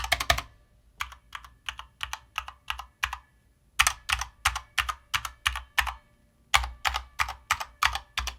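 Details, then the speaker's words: Corsair K65 Mini 60% mechanical keyboard typing test: clacky keystrokes, about three per second, with a hollow resonant case sound and occasional spring ping, a known trait of this case; stabilizers and spacebar sound good. "Spacebar, all the stabs sound great, but you probably heard a little bit of a hollow sound, maybe some pinging here and there, right? And that is known with this case."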